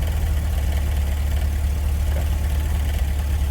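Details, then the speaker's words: GMC with 6.0L V8 and electronic throttle body, idling: deep steady idle with a light uneven rattle from the throttle body; had limp mode and throttle position correlation codes, after a prior harness repair with crimp connectors. "anyway it's been fine for however long you hear that rattle noise"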